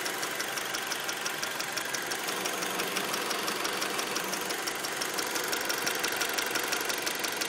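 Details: 2003 Acura RSX idling: fast, even top-end ticking about three per second over a steady idle. Valves already adjusted; source not pinned down.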